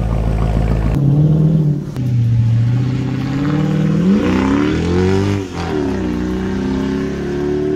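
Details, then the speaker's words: 2001 Mercedes W210 E55 AMG V8 accelerating after $6.99 injector O-rings fixed a months-long intermittent misfire caused by a backed-out bolt letting the injector pulsate in the intake manifold. Strong, smooth pull through the gears with no stumble or miss. "thing runs so good"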